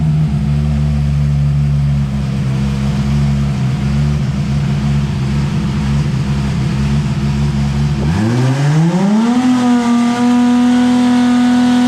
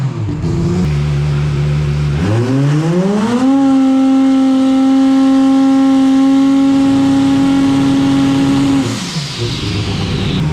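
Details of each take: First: Dyno pull on a turbo car at FuelTech: a heavy drone that climbs smoothly and holds strong without stumbles, noted at 6,300 RPM; healthy full-power pull. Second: Turbo car at FuelTech trying to spool the turbo: the engine rises from a low drone to a steady high tone with a brief stumble, a dead spot, before boost holds; cause unsure, fuel or timing suspected.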